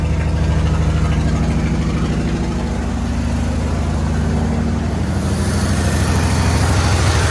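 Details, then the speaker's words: 1972 Chevy C10 V8 revival, running after the fuel hose fix: strong, even low throb with a clean steady beat and free-flowing exhaust; running better, normal. "That's a lot better."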